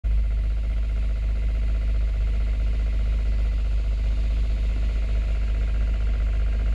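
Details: 2005 Toyota MR2 at steady idle with a faint, loosely regular tapping under the low drone; owner suspects rod knock, unconfirmed.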